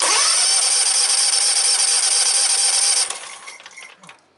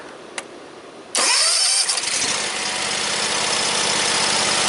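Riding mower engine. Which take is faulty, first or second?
first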